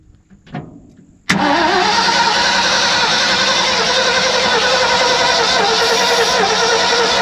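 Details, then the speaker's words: 1970 Ford F600 U-Haul truck, sat about 30 years: the starter spins the engine strongly and evenly at about 3.5 turns per second after a shot of starting fluid, but it never catches. Owners suspect no spark or a questionable negative battery connection. Cranks but won't start. "I don't think we have spark. I don't think we have spark. Definitely no spark. No, but it spins good."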